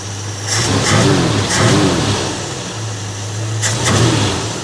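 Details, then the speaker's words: Hemi International truck after a new ignition system and fuel pickup fix: it fires quickly, takes a few clean throttle blips and drops to a steady low idle with no stumbling. "so let's see if I [Music] can start it down oh yeah runs like an absolute"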